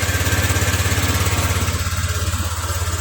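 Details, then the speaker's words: Honda Vario scooter that starts hard, then dies and blows its fuse; internal short in the battery found as the cause: uneven, pulsing putter about three beats a second that fades as it weakens; rough running from a shorted battery. "Setelah hidup, nah, ini mati lagi. Tapi ketika awal hidup, setelah susah hidup, dia sekringnya bisa putus. Nah, karena sekring itu putus, dia konslet."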